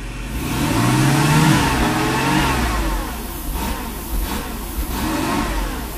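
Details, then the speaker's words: 1995 Mercedes SL500 V8, 108,000 miles, idles fine but RPMs drop when accelerating, fuel safety cutoff code; revs climb then sag and stumble; hesitation from bad wires inside throttle body, to be replaced. "Well, doesn't run good. Okay, so we're not going to run it for too long. Okay, so this is the problem."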